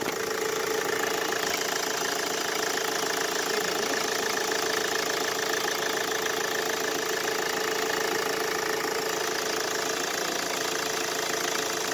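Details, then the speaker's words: Mercedes Vito W639 OM646 diesel after fitting a shorter belt routed past the AC compressor pulley to bypass its noisy mount: steady even idle clatter, no squeal or knock from the belt side; noise gone. "Ну что ж запускаем всё звука нет"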